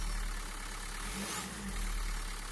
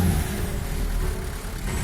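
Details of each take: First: Renault Megane 3 1.5 dCi 106 hp, cold engine just after starting, after glow plug replacement (a damaged plug caused fault codes): steady, even, quiet diesel idle clatter with no misfire; errors no longer appear. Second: Renault Megane 3 1.5 dCi 106 hp diesel, cold start in very low temperature, recorded in the engine bay: uneven clatter with a wavering beat that won't settle. A failing glow plug leaves one cylinder misfiring; the glow plugs are replaced.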